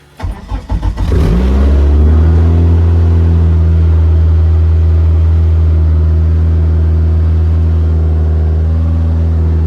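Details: Eagle Talon 420A engine on a DIYAutoTune MegaSquirt ECU, after switching on the fuel pump: short crank, clean catch, then a steady, even idle. Now running properly.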